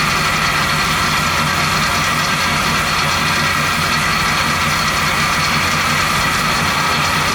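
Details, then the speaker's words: 1970 Chevy C10 350 small-block at idle, Smart Ear clamp probing accessories: bright metallic scraping hiss; not water pump, power steering, fuel pump or alternator bracket, source unresolved. "all right so that tool didn't really help out in this situation it's not coming from the water pump it's not coming from the power steering it doesn't appear to be come from the fuel pump either"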